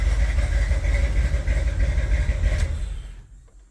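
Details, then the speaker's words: 1978 Corvette V8 idling with open-window valve covers, then shut off: light, quick valvetrain tick riding on the beat; one cam lobe nearly worn flat, another passenger-side lobe worn, camshaft damage confirmed. "yes I would say the diagnosis is pretty clearly definitely one cam is almost all the way down another on the passenger side isn't either more ok accordingly we definitely have camshaft damage here"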